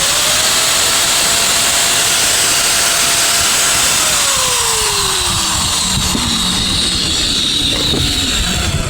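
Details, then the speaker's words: INGCO 750 W angle grinder after repair: steady high-pitched motor whine that winds down smoothly after switch-off, with no grinding or rattle. The armature is fine and it runs normally. "So ayan mga winding, okay na okay pa yung kanyang ano, yung kanyang armature, tinis na tinis pa. Tsaka maganda yung andar yung ating grinder."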